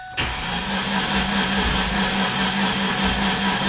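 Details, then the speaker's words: 2006 Ford Ranger OHC 4.0 with no check engine light or codes: steady, quick, light cranking with no catch or firing; crank no start, timing chain jumped teeth and bent a valve. "it's a crank nose start it sounds like maybe the timing change broke or something sounds like it's trying to do something i don't know"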